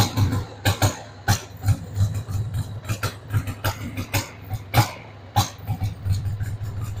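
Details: 1993 Harley-Davidson Sportster 883 Evo V-twin, stored about 15 years, just started on starting fluid with a dead battery: a loping, uneven idle with irregular pops and skipped beats, the rhythm wandering. The carb needs cleaning.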